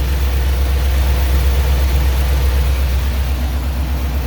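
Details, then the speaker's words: 1970 Chevy C20 dump truck that sat for 20–30 years, first start after fresh gas: the old V8 holds a steady, even idle with no misses, and there are no leaks at the fuel pump; normal idle. "no way man that is running way too good I got no leaks off the fuel pump"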